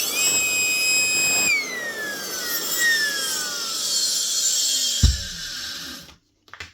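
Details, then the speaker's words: 2006 Makita 3620 1/4-inch router screaming with a loud shrill roar and whine like a jet engine, winding down rough; worn bearings from age, fix is new bearings. "That sounds like a jet engine taking off. Change the bearings."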